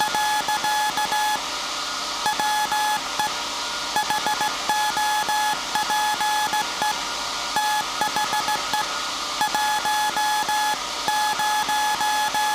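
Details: SAQ Grimeton 1924 Alexanderson alternator VLF transmitter on 17.2 kHz CW, December 1st 2024 centennial transmission: clean steady tone around 850 Hz in dots and dashes; normal Morse keying, nothing wrong.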